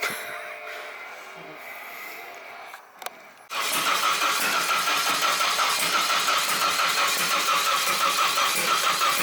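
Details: Drift truck being fitted with LS coil packs: quiet, then a steady, even cranking whirr with no catch or firing. It cranks but won't start.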